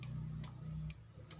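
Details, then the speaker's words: Motorcycle turn-signal flasher relay after repair: crisp, evenly spaced clicks a little over two per second with a faint hum behind, the same sound as a normal relay. "dieses hat immer noch den gleichen Klang, und das ist das normale, okay"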